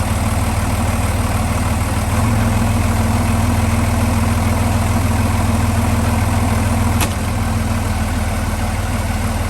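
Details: Boat Velvet Drive marine transmission, clunk being investigated with the engine mounts getting old: steady deep diesel idle, then one sharp clunk as it drops into gear, harsher than it should be; the spline coupling had loosened before, cause suspected, not confirmed.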